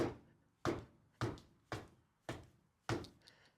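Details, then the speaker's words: MINI Clubman (R55/R56) front suspension, wheel rocked by hand: six hollow sharp clunks about every half second as the control arm shifts left and right; worn control arm bushings. "Do you hear that noise? That is the control arm moving left and right."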